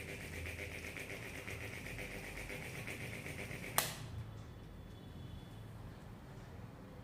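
Steady fan whoosh with irregular light ticking and one sharp click before it quietens; a clicking fan, cause not clear. Cause suspected, not confirmed.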